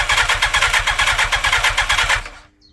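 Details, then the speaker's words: 1987 Yamaha FZR1000 motorcycle, stored 16 years (barn then outdoors), carbs refurbished: starter cranks steadily about eight or nine turns a second for two seconds with easy start sprayed, no catch; fuel delivery suspected, possibly the fuel pump. "It's not happy, is it? Not happy. Well, we've got the four things. Four things? Yeah. Well, I'm assuming we've got fuel. I'm spraying easy start in there."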